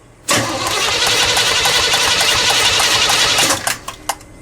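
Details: Pink big-block Chevy, after its carburetor was cleaned for running very lean at idle and refitted, no throttle linkage connected. Three seconds of fast, uneven cranking stops without the engine firing. It starts soon after and sounds much better.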